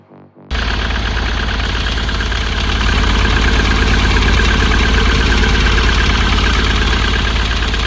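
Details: 2010 Ford Transit mk7 welfare van, previously locked solid (owner suspected hydrolock), running after a new starter: loud diesel with a steady knock about four times a second. Owner suspects a cracked piston; turbo is also possible.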